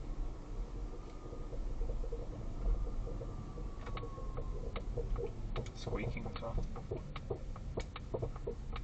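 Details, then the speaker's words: Polestar 2 driving and turning left, January 2025: irregular squeaks, knocking and sharp clicks through road rumble from the suspension, clearly audible turning right, persisting after four attempted repairs and newly engineered strut bearings. "I'm just doing a little drive so you can hear the suspension noise in my car CL audible when turning right obviously I'm turning left at the moment hear that squeaking a is knocking and clicking"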